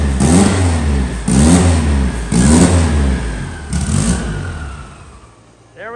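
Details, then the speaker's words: Car engine just started on all four cylinders after fixing the cam sensor and cam sync: crisp, clean throttle blips about once a second, rising and falling smoothly; synced up and running properly. "boys oh yeah she crispened right up got her all synced up showing up we're ready to jam"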